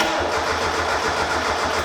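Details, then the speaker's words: Rebuilt turbo Mazda Miata after a good leak-down and compression test, with new plugs and the turbo refitted, cranking with plugs and fuel disconnected: steady starter cranking with evenly spaced beats, even compression on all four cylinders. "Sounds perfect. What the [ __ ] What is What? What? What? What? Why is this sound? It did not have compression on all four cylinders earlier."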